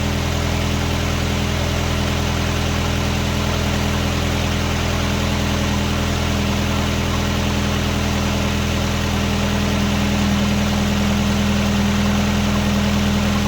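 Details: 1999 Nissan Sentra 1.6 four-cylinder idling after an EGR delete and new headers were installed: a smooth, steady low drone with no ticking or exhaust puffing. Much quieter than before. A little oil smoke appears where the exhaust touches the oil pan. Normal idle.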